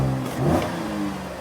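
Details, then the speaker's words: Cadillac SRX4 with check engine light on and low power, running: revs rise muffled and strained, sagging early with a droop on tip-in instead of pulling cleanly; sounds like clogged catalytic converters, cause unconfirmed. "So, when I rev it up, it sounds like it has clogged catalytic converters. There's that little droo d when you first uh step on the accelerator pedal."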